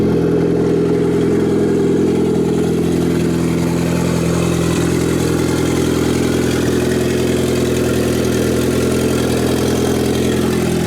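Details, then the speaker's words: Turbo Honda Integra just started after JB Weld radiator crack repair, filled with water, oil light on only from a broken sending-unit wire: steady, smooth low hum with no knocks, idling a little high while warming up. "It's idling a little high, but"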